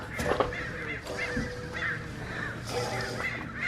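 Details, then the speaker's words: Drift car rear wheel bearing, removed and spun by hand: rough gritty rumble with scattered squeaks; quieter than the other side's bearing but still shot and being replaced. "it's not as bad though got some but the other one was way louder this one's still shot though"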